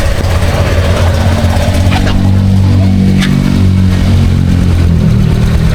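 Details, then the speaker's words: Honda Click 125 V3 scooter after replacing a very dirty mushroom air filter: loud, steady engine rising and falling with throttle, no stumbling or cutting out; no longer stalls as before. "So ayan guys, hindi na siya namamatay. Kasi nung hindi pa natin to pinalitan, kada start ko tuwing umaga."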